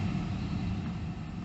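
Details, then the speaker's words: Mercedes SL heater blower after fixing an intermittent fault at a connection on the motor's return feed (condensation suspected). The fan is stepped down from full; soft, steady low whoosh with no rattle or whine: normal blower operation at low speed. "okay, so now you can hear the fan, and I have all settings once more. There's the fan on full. Turn it down incrementally,"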